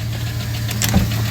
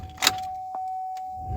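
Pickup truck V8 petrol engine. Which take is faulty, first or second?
first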